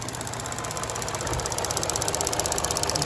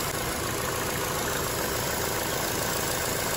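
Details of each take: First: 2012 Chevy Cruze 1.8L non-turbo after valve cover replacement for a ruptured PCV diaphragm, fuel trims near zero: quick light ticking, about four per second, over a steady idle as purge enables; purge solenoid cycling normally. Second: Chevy Cruze 1.8L non-turbo petrol engine at idle, running very lean with short-term fuel trims climbing to 22–30% (P0171): a steady airy hiss over the idle, a major vacuum leak from a ruptured PCV diaphragm built into the valve cover.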